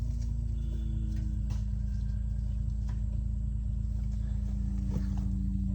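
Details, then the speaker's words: Skid loader starved of fuel despite full tank; steady droning hum over low engine rumble as suction line or pickup hose sucks flat; owner suspects rubber hose; fuel supply straining, cause not confirmed. "can you hear that I think that rubber hose might be our problem"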